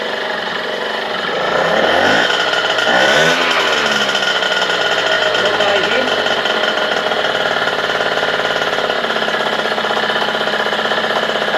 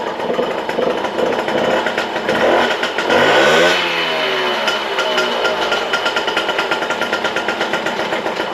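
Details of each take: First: Small two-stroke 51 moped with a freshly rebuilt engine: it blips briefly, then settles into a steady, even, buzzy idle that holds well. The engine would not shut off afterwards, and the decompressor cable is suspected. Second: Small two-stroke 51 moped with a freshly rebuilt engine, on a test start with fairings refitted: the idle is uneven and wandering with a brief rev. The throttle cable is routed wrongly and its sheath is worn; rerouting and replacing the sheath should fix it.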